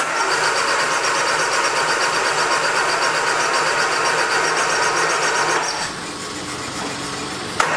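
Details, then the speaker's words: 1979 Triumph Spitfire, sat about 20 years, steady cranking at about four turns a second without firing; no fuel getting through, pump pumping too fast, needle and seat suspected stuck, not confirmed. "Still don't think we're getting fuel. Pumping a little bit too fast."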